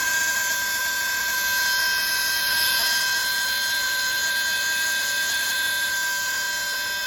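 Steady high whistling tones over a constant hiss once the air system is fully pressured, an abnormal brake system noise of unknown cause.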